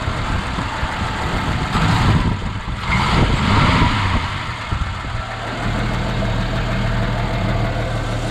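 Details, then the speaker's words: Ford XW sedan 250 pre-crossflow six with C4 auto, first run in 17 years after storage, old residual fuel, slight smoke: after handling noise, settles into even, steady low idle with no knocks or stumbles; runs nicely. "yeah it's nice bro it's running really nice"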